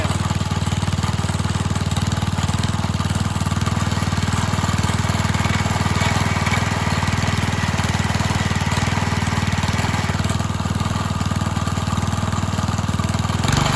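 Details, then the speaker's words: Old Briggs and Stratton garden tiller engine, fresh gas, after getting it running: steady single-cylinder chug with a slightly lumpy, cam-like beat that never falters; normal running. "kind of sounds like she got a cam in her definitely don't like it very much but you're only running at full beans anyway"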